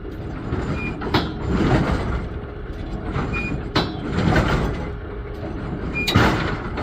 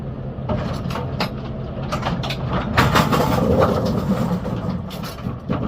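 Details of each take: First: GSX pinsetter sweep wagon run through its travel: repeating mechanical clunk and a short squeak at one point, from a dry bushing needing grease. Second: GSX pinsetter on lane six after sweep wagon shock replacement to cure a sweep squeak, pivots lubricated: irregular mechanical clatter and thumps through a normal cycle, no squeak or harsh sweep bang.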